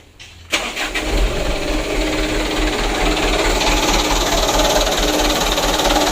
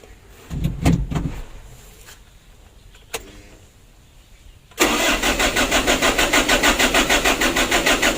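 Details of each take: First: Mitsubishi Canter 125 PS Super Speed diesel truck with a completely new injection pump, after loosening the governor spring nut and adjusting the lower throttle-shaft bolt: a brief crank, then catches straight away into a steady, even idle without throttle; easy start now fixed. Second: Mitsubishi Canter 125 PS Super Speed diesel truck, hard starting and sometimes stalling: short starter bursts without throttle fail, then fires with throttle into rough even knock; hard start without throttle.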